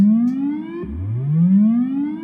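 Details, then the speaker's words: Fender Blues Deluxe reissue 40-watt tube combo on a current-limiting bulb, with never-adjusted, likely cold bias: a smooth test tone sweeping upward twice, clean, full, strong lows, good mids and reverb. Normal amplifier response. "There we go. A lot of low end beef there. Mids are good to go. Reverb's nice."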